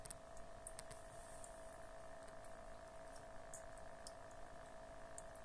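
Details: Cat water fountain pump: a steady mid-pitched electric hum under trickling, splashing water, loud enough to scare the cat away even after rubber inserts and foam were added to damp the vibration.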